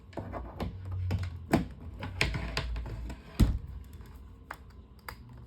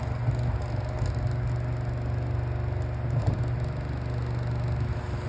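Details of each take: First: Electric fan after replacing damaged blade and fitting blade cover and grill, test run: clicks and knocks at switch-on, then smooth even airy rush with no wobble, thump or rattle; normal running. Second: Found electric fan with damaged blade, missing the cover that holds the blade in place, before repair: steady low hum with uneven rattling flutter, blade vibrating and moving on the motor shaft; imbalance vibration.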